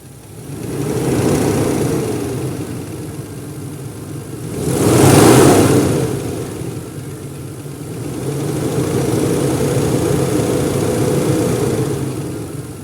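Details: Warm Toyota 1JZ-GE inline-six revs up and settles with a fast, fairly even knock riding on the engine note; engine knock, source not yet found.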